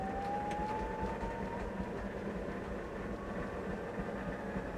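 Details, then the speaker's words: Maytag Neptune washer after circuit board relay resolder repair and new door lock wax motor, previously failing to reach high spin: drum spins up smoothly with faint rising whine and steady rumble, no knocking or scraping; healthy high-speed spin. "she goes she's rockin now really high rpm yes oh yeah that is music to my ears"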